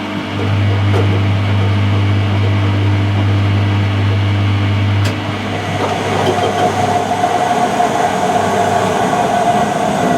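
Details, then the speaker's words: Mid-1990s Whirlpool AWG324 super slim washer (4kg, 600 spin): loud low drone with uneven rumble and grinding rising into rougher roar as drum speeds up, with knocking and heat noted; drum bearings worn out. "they're the bearings on the drum and they're gone you can see there's quite a dense heat here um I suspect the SP and you can hear this knocking"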